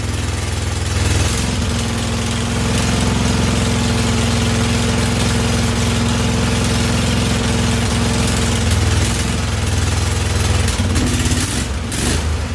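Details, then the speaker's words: Husqvarna YTH2148 lawn tractor with Briggs & Stratton Vanguard V-twin after carburetor work: lumpy, uneven low drone, intermittently running on one cylinder; one exhaust pipe stays cool. "I hear the Sol right now sitting only on one cylinder for some reason oh man she's still not"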